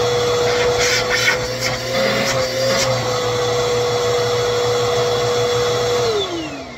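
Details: 2191 upright vacuum after cleaning bin, brush roller and dusting brush: clean motor whine holding one pitch, sliding smoothly down at switch-off; runs healthy.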